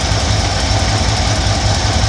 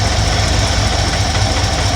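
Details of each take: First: 1971 Ford F100 302 small-block V8, carburetor idle mixture screws adjusted on the left side, leaned until rough and then richened slowly: even, steady burble with regular low pulse, no stumbles or misses; smooth idle. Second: 1971 Ford F100, 302 small-block V8: the left-side idle mixture screw is turned right (leaner) until the engine runs rough. Low, uneven, loping, stumbling idle with irregular pulses from a lean idle mixture.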